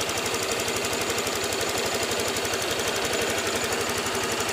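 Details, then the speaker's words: Honda Vario 150 after repair of rough engine noise, idling on jumped weak battery with radiator refilled: smooth steady idle with light quick injector tick, normal. "Yang suara tik tik tik tik nih suara ini ya, injektor ini ya. Nih, nggak apa-apa tuh, memang seperti itu. Ini lumayan halus ya mesinnya."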